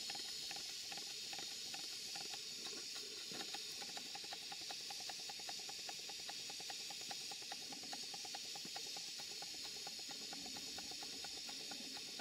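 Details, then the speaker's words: Stuart twin 5A model steam engine, two 2¼-inch cylinders, on a Castle Steam V6 boiler with small gas burner, running slow but continuously; soft steam hiss, loose ticking about twice a second from double-chain coupling play; normal running. "as you can see it's running it's not running fast but at least it's running it's running continuously"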